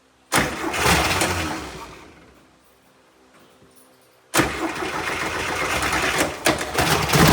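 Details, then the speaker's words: VW Brasília with carburetor after replacing the fuel pump: engine catches, fades, fires again and settles into a steady, even idle; repair successful. "Well, folks, mission accomplished. Brasília is alive again."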